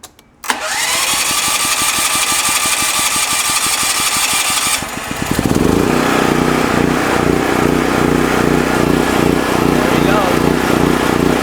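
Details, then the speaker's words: AUTOONE 10000A jump starter starting a large ~10,000 W generator with no battery fitted, leads clamped to positive and negative: about four seconds of rapid, even cranking, then it catches and settles into a steady run. A normal, healthy start. "but it started also a big ass compressor without a battery. This unit really works, folks."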